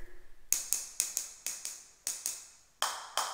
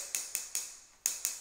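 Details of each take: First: Taps on newly laid floor tiles: sharp, bright and solid like concrete where thinset has bonded overnight; the last few ring fuller and duller where thinset is not yet dry. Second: Tap test on floor tile laid the day before: six sharp, high, dead taps with no hollow ring, sounding like hitting the concrete itself, meaning the tile is solidly bonded.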